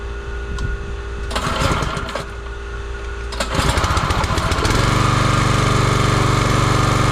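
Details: Champion 27-ton log splitter, 224cc engine, stored outside, restarted while chasing a hydraulic fitting leak: pull-start bursts, then a steady, even single-cylinder run with no misfire. Normal running.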